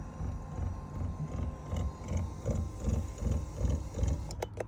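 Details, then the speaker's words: 2009 Toyota Venza AWD driver's power seat moving forward: faint motor hum with dull rhythmic thumping two to three times a second as the motor mechanism jumps; quiet going backward; fixed by tightening two Allen screws. "so today I'm working on a 2009 Venza all-wheel drive and the driver's seat makes a funny noise when you go forward"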